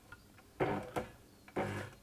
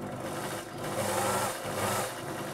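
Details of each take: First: Elna Electronic TX (Lotus type) sewing machine, original motor: runs in short uneven spurts with brief drop-outs, sometimes won't restart after stopping until the hand wheel is turned; stuttering motor from failing electronic speed-control board. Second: Elna Electronic TX sewing machine after repair (worn motor brushes fixed, faulty resistor on board replaced), tested with foot controller: steady even motor hum, needle chattering at constant pace, no stutter or hesitation; runs properly.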